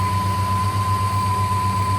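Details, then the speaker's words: 1958 Studebaker Golden Hawk after the stuck carburetor needle and seat was freed: a steady, even, low idle pulse with no misses or knocks as it warms up for a couple of minutes. The engine is idling normally. "All we had to do was unstick the needle and seat. Not bad. Here, let's let her run a couple minutes."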